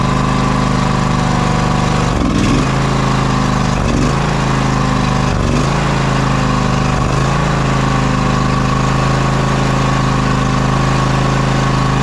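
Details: John Deere X540 with Kawasaki FD731V twin-cylinder engine, test run after fuel delivery repair and carb cleaning for dying after 15-20 minutes: steady, even run with a low throb, a few brief early dips; running healthy.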